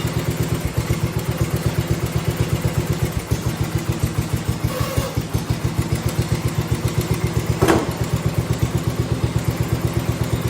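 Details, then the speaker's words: 1971 John Deere 110, just converted from magneto to battery ignition, original points and condenser, possibly cold: even thumping idle around four beats a second, steady without stumbling; starts easier than before; normal idle. "well that started I was going to say that started a lot easier than used to it might be cold that's probably why it stalled cuz I didn't have to fight with it in order to keep it running which is nice"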